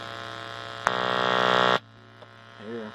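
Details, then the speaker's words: Harsh, raspy low buzz lasting about a second when the Insignia TV's 3.5 mm cable goes into the splitter shared with a SXM radio feeding an Insignia sound bar. The remedy is to remove the splitter and plug straight in. "so what happens is it don't sound so bad and got the oligo but once you take this plug here and then plug the one that's going to the TV it's still real bad"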